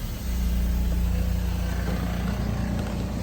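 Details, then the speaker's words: 2007 GMC C6500 (Kodiak) service truck with an Isuzu engine and 127,009 miles. A steady truck drone carries a pumping pulse as the hydraulic-driven PTO air compressor kicks on and builds air pressure normally. "It's got a hydraulic driven PTO. You can hear that thing kick on. Builds up air pressure just fine."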